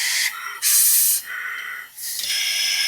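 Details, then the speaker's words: Tecumseh generator engine on a leak-down test at about 80 psi; a steady high-pitched air hiss pulses as test air is fed in, with flow out the intake and exhaust, not the oil port; valves leaking. "There's a lot of air flow coming out through the intake and exhaust."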